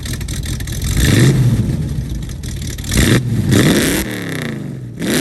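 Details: 1969 Mustang V8 that sat for 15 years, revved after a vacuum leak was fixed: quick blips climb and fall cleanly with no whistle or hiss. It puffed some smoke on earlier revs. Normal revving.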